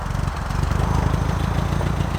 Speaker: Sounds really good now. That sounds great. It runs great.